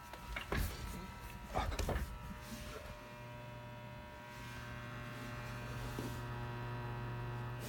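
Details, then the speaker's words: Desktop computer giving a steady low hum with a faint whirr that gradually gets louder, seemingly from the back or top; owner can't tell whether a fan or the pump causes it, and the noise stops when he does something to it. "might be that might be this thing here it's hard to tell where the noise is coming from so what makes this noise is that the fans or the pump"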